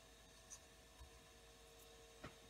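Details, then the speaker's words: Marshall MG100HDFX solid-state amp during a power switch repair, with its cooling fan running: a quiet fan hum with a thin whine and stray ticks. The fan sounds rough, as if about to die; the cause is unconfirmed. "g except that fan is making a lot of noise check into that a little later yeah that's good so i gotta find me to switch should i let it run that fan sounds like crap sounds like it's gonna die right out"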